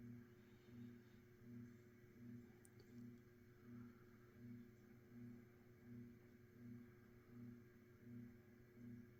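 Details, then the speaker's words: Mid-to-late-1980s Saff Enterprise Flush Polo 52" hugger ceiling fan, 3-speed and reversible, on low speed (a bit fast): a soft, steady motor hum with harmonics and a gentle swell about once a second as the blades turn. Normal fan motor hum. "so low speed is a bit fast of course being a hugger fan it does have an audible hum to it and the motor does make some harmonics as well as you probably heard when it's spun up to speed here"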